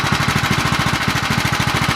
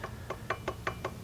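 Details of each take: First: Predator 212 Hemi small engine, full build with a 255 grind cam and aluminum flywheel: a fast, somewhat uneven chugging beat that picks up near the end. The lope comes from the performance cam, not a fault. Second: Predator 212 Hemi engine build with 255 grind cam, side cover on without bolts, turned slowly by hand: crisp woody knock about every fifth of a second from slight backlash in the cam gear mesh.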